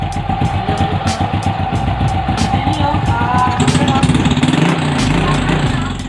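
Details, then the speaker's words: SYM Bonus X110 scooter after the cam chain tensioner fix, with about half a drum-brake rod spring added to the stock tensioner spring: steady even idle at about 220 beats per minute, no chain rattle or ticking. Noise gone, engine healthy. "Ngayon guys, wala na siyang ingay. Pakinggan nyo. Okay na siya."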